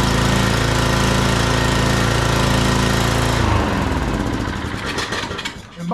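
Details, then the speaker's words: Scotts rear-tine tiller with Tecumseh 6 hp Enduro engine, sat over a year: it only needed gas; the single-cylinder engine pops along at a steady, even firing rate, then winds down as it shuts off. Normal running. "Yay! It runs. He just didn't have gas in it."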